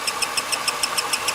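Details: 2002 Ford Taurus 3.0 with intermittent no-start; sharp high chirps about seven per second at idle, sounding like a belt, traced to failing camshaft position sensor (gray-top sensor).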